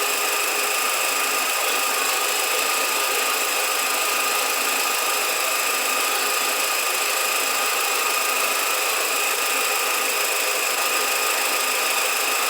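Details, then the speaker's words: 2007 VW SpaceFox 1.6 with a loud engine noise: steady high-pitched whirring from the accessory belt drive that disappears when the alternator belt is removed. The source is suspected to be a pulley, the alternator or the power steering pump. "bom pessoal tirei aqui a correia do alternador que toca todas as polias aqui ó e o barulho sumiu"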